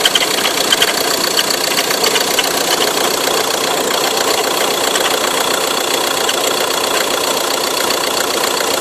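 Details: Ford Tourneo Custom diesel at steady idle with a bright, hissing chatter riding on top and no deep knock underneath; sounds like accessory (auxiliary) belt noise.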